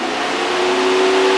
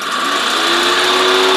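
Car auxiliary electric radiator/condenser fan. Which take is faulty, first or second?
second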